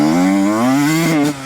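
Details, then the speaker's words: Yamaha YZ125 two-stroke with a 430 main jet: clean at low rpm, but mid-to-high-range revs hang and sputter blubbery; running too rich, 410 main jet considered. "Yeah, it's definitely too rich."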